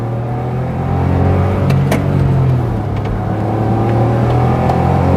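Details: Smart ForTwo, lever gearbox, driving in fifth gear at 50 mph: engine pulls up through the revs with a faint rising turbo whistle over the rumble, with a lift off the throttle at gear changes. Healthy turbo spool.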